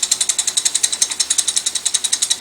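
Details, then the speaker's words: Orphan Espresso Pharos coffee grinder, alignment check after moving the burr with a mallet: small check bolts tick and rattle freely at about ten per second with no binding at any point; burrs properly aligned. "the sound of these small bolts rattling. There's no binding at any of these points. Everything is aligned and ready to go."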